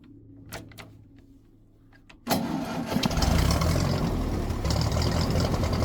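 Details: Ferguson TED20 tractor engine just after oil, filter and oil-bath air filter change: a few quiet clicks, then it catches and settles into a steady low idle with no knocks or misses; oil pressure right up, previously dropped to nothing when hot.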